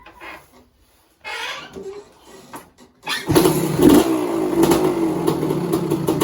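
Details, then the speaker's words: 1986 Kawasaki KX250 two-stroke after a lean-run holed piston, now with rebored cylinder, new piston, top-end gaskets and water pump kit: kicked up, it settles into a crisp, even run with no rattle; runs healthy. "Engine sounds sweet as a nut, and yeah, then I'll get some pictures, and she'll be up for sale on eBay tonight."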